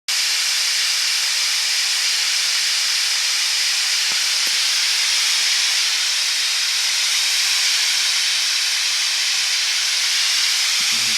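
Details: BlackBerry phone speaker; loud, steady hiss with nothing underneath, unchanging for over ten seconds, pure white noise; owner suspects it was charged too long, cause unconfirmed.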